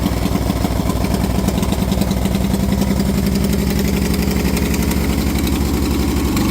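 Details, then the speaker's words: Moto Guzzi 850T café racer after full custom build, new points and condensers fixing a no-spark fault; loping, even V-twin beat at steady idle, strong low throb, no knocks or misses; sounds healthy. "Go ahead. It needs some but pretty good."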